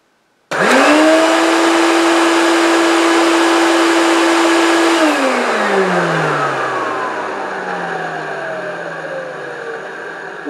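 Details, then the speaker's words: 1970s American-made Hoover S3001 Celebrity Custom vacuum cleaner, first switch-on: motor whine climbs slowly to a steady pitch, holds, then winds down after switch-off; sluggish start-up, unsure if normal. "taking a long time to I don't know if that's right or wrong"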